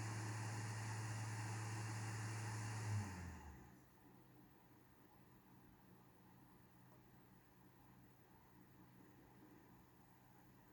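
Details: PS5 console making abnormal noise: a loud low hum with fan hiss that winds down and goes quiet after about three seconds. Owner is seeking a fix.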